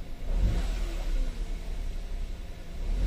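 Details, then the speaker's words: 2015 Hyundai Grand i10 automatic with check-engine light, brought in cranking but not starting; after confirming the fuel pump works it starts. Low rumbling rev swells and sags unevenly, a palpitating, misfiring sound; it tends to die again. "palyado yun y yung tunog palyado yun meron na siya o nagpa-palpitate ganon na tunog ibig sabihin palyado"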